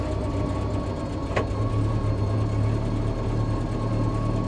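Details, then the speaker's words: Bombardier Bombi with a Holley Sniper 1100 EFI, a 60 psi fuel pump and a new coil, after an exhaust manifold crack repair: a smooth, even, much quieter idle with no throttle input; the engine later cuts out unexplained after about 1–3 minutes. "Okay. That's actually sounded pretty good. Boy, does that thing ever run a lot more quiet now."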